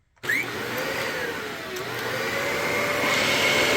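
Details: Dyson vacuum after maintenance and reassembly, brush roller confirmed working: steady high airy whir holding even and rising slightly in pitch, no rattles or catches; running normally.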